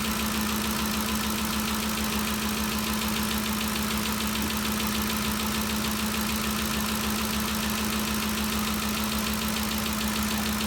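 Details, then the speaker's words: 2013 Ford Expedition after valvetrain repair for a loud ticking noise (cam phaser or timing chain suspected): steady, even idle with a smooth low hum. The ticking is gone and the fault appears fixed. "let me see that the noise is all gone if you remember before we could hear this thing picking real loud uh it sounds real good so i think we got it fixed"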